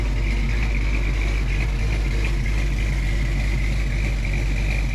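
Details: Fresh 306 V8 with HCI cam in a Foxbody Mustang, first start-up after water leak resealed and belt and power steering pulley fitted: deep even idle rumble with faint constant accessory hum, no misses or knocks; normal idle.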